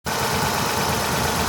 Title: NEED TO CHANGE SPARK PLUGS, CHECK ENGINE IS ON ...... CODE P0302 2ND CYLINDER MISFIRE